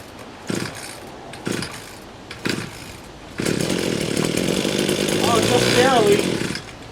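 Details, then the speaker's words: Badger weed trimmer, primer bulb nearly empty, deliberately being run dry: three quick rope-pull rasps then a short ragged sputter that fades; no start, out of fuel, needs gas. "I hope to run it out of fuel it may not be enough to even start it"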